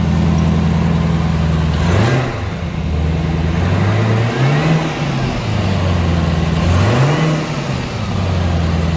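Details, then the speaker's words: Wrecked 2018 Chevrolet Camaro ZL1, supercharged LT4 V8 with 10-speed auto, full factory exhaust, after fresh oil and filter: deep smooth idle, fairly quiet, with clean throttle blips rising and settling evenly, no clatter or knock; normal start and idle. "Oh yeah, obviously she's running that, blowers are spinning, and everything sounds pretty good."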